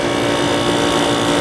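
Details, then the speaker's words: Older window air conditioner with clean coils and condenser and new capacitor, turned to low fan to hear compressor: even steady mid-pitched hum, no rattles or clicks; normal compressor running. "this thing has a new capacitor so it's running as efficiently as it possibly could"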